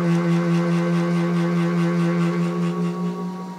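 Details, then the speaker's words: Stepper motor on a DIY MDF CNC router; steady pitched hum at full drive current easing off as current is tuned down, hum nearly disappearing; too much drive power was the problem. "bit and you can hear right about there the humming pretty much disappears right in that range and I think that's what the problem was I had too much power going in and it was working against me in the end"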